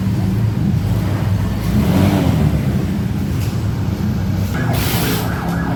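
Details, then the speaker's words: Honda Vario 150 scooter after repairing a break in the fuse box that had disabled the electric starter: low, steady idle hum with no stumbling or starter grind. Normal idle. "Okay, it's done. And the starter is also okay."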